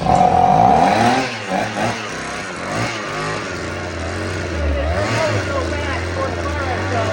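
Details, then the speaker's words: Vintage black-top Husqvarna 50 chainsaw (50cc), unrun about 15 years, 80 PSI compression, cold start attempt: sputters and surges unevenly, never picks up cleanly; weak rings suspected, can't pull full fuel; rings possibly stuck from sitting. "Sounds like it's trying, but I think the rings are just so weak. It can't pull full fuel up."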